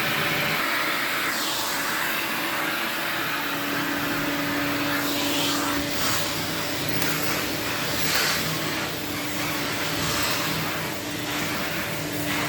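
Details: 1979 Electrolux Z96 cylinder vacuum, floor head on carpet: steady motor whine under airy suction roar, tone dipping and wavering as head drags; strained, owner suspects it needs suction control/air release.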